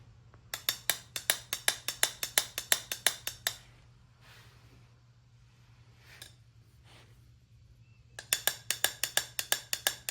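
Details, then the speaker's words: Small-block Chevy pistons from a teardown before a 383 stroker build, struck and rung like bells: rapid bright metallic rings. Cracked piston #3, whose spark plug was oil-fouled, rings slightly higher in pitch than a sound piston. "Now do number three again and do one of the ones that's not cracked cuz it sounds to me like the one that has a crack has got a little bit higher pitch than the other one."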